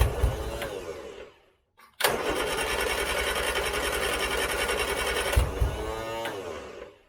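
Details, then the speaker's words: 1970s Turner Ranger tractor, 1098cc A-series Mini engine, on a jump pack with throttle: long cranking, a brief catch, pops and dies; always hard to start, owner suspects fouled spark plugs. "so I'm actually going to stop there I bet that my spark plugs are foul now because of that I bet there is black as anything"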